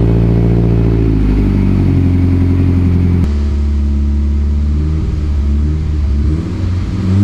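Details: Freshly built 800whp Mitsubishi Evo X, few minutes after first start during break-in: deep loud steady note with light throttle blips, no knocking or ticking; only wastegate and evap codes, cause already known.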